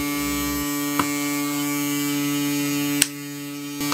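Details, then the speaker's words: Fan swing motor used as mini generator lighting a 7 W non-driver LED lamp, output dropping to about 33 V from about 270 V unloaded: steady electrical hum with fixed tone and faint clicks, droning louder under load; lamp only dim, about 3 W. "terdengar ya teman-teman suaranya mengaung Meraung semakin kencang"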